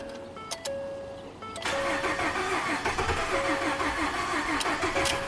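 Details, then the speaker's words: Ford F150 EcoBoost, 220k miles, crank no-start with low fuel pressure code, fuel pressure gauge teed in: cranks about three beats a second and tries but never catches; rail pressure desired 1,000 psi, actual barely over 500. "it's trying. So 1,000 was desired. Actual, it bumped up to a little over 500 and then quit."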